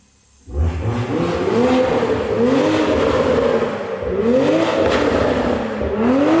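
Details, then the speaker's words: Healthy exhaust revving on a 90-series (A90) Toyota Supra with a newly fitted GTHAUS GTC exhaust, installed after the old exhaust's valve flange snapped: clean, smooth revs with an even, deep note and no rattles or misses. "That sounds so good. Oh my gosh, that sounds so good. So good."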